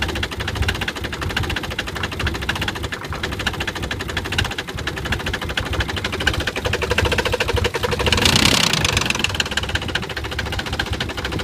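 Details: Nissan 300ZX shaking at a poor idle with a steady deep knock about three to four times per second. Owner suspects rod knock, not confirmed.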